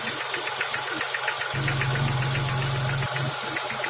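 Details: BMW E34 engine idling with a sharp knock repeating about 220 times a minute, evenly spaced over the engine note; owner suspects the failed piston pin holding the connecting rod, unconfirmed.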